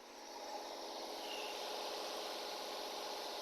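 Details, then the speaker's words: Nissan/Infiniti VQ35 3.5 L (G35), cold, just after reconnecting and bolting the coil: very smooth, steady fast idle above 1000 rpm, no misses, expected to drop toward about 850 rpm once warm; normal cold idle. "very smooth now we just need to wait for it to warm up and the RPMs to drop below 11 or 1200 so it should be below th000 closer to like 850 but so far so good"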